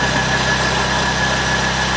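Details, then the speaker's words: 1931 Ford Model A coupe with 2.3L four-cylinder, just started after cranking trouble and warming up: even, steady thrum with no misses or knocks but a loud exhaust; runs pretty smooth, just loud for a four-banger. "She runs pretty smooth. Thing's pretty loud for a little four-banger."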